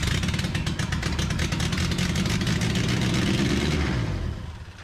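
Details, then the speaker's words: 1981 minitruck engine just started after jumper wire fed 12 V to coil: revs high and uneven with loping, stumbling beat and ragged exhaust, "buck nasty"; owner suspects vacuum leak at unsealed carb spacer, smoke seen there, making it run high. "a little buck nasty sounding"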